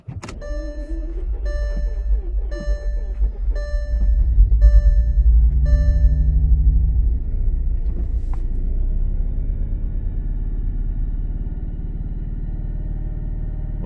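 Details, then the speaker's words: Salvage Bentley Flying Spur after finding sugar in the tank, with pumps refitted, a new fuel filter, fresh gas and a new battery: catches and stumbles unevenly at first, then settles steadier but still uneven; owner suspects it is missing on a couple of cylinders. "started off a little rough there, but now she's running a little smoother. Still seems like it might be missing on a couple cylinders."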